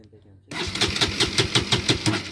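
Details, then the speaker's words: Bajaj Pulsar NS200 BS6 motorcycle with a fuel injector warning on the dash, kill switch on: starter cranks in a steady quick chatter, about six pulses a second, but the engine never fires; crank no-start from fuel pump power loss. "चलिए यहाँ पर से kill switch को on किए हैं और start करने का कोशिश करते हैं। देख रहे हैं गाड़ी स्टार्ट नहीं हो रहा है।"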